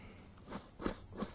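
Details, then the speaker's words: Ford Escort GT on maintenance for a leaking water pump: old timing belt tensioner spun by hand gives gritty rasping bursts about three times a second, bearing dry with play; a new tensioner is silent. "same thing with your Chim belt tensioner listen fairings dry new one you don't hear anything and that's what you want you don't want to hear nothing"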